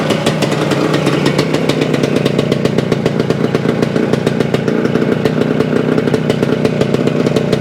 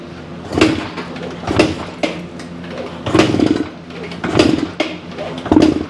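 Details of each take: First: 1975 Suzuki TS-250 two-stroke, first start after a no-start, about 30 degrees out: crisp, even popping at a steady rhythm without misses; fault traced to loose stator screws re-secured to base plate, stator rewired, coil grounds repaired. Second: 1975 Suzuki TS-250 with a 6-volt system and a rewired stator, key and fuel on, fuel confirmed: about six kicks, each a brief thump with no firing; won't start. The plug was then found wet.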